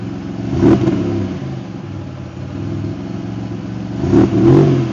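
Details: Supercharged L67 V6 after raising idle, timing table changes and fixing exhaust leaks: smooth idle with two quick clean blips, no ticking or puffing leak; sounds healthy.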